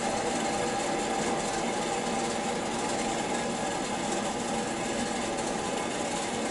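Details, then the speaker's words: Water heater system purge after replacing a 40-gallon storage tank, zone valves bypassed open: steady, even rush of water forced through the pipes under pressure, no knocks or bangs; normal purge flow. "Just want to make sure everything's purged good. It'll gurgle. It'll gurgle gurgle."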